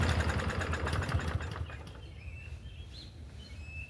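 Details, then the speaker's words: Troy-Bilt TB110 push mower start attempt on little remaining fuel: ragged, uneven sputtering for a second then fades without running; rough hard start. "Not a good start."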